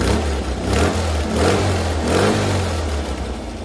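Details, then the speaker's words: Rebuilt 1600cc Type 1 VW air-cooled engine, carburetor suspected bad and being tuned: blips up a couple of times then settles to fairly steady idle, clean, no knocks; oil pressure 30-40 psi at idle, sounds good. "Here we go. Sounded really good. 40 pounds or 30 pounds on idle."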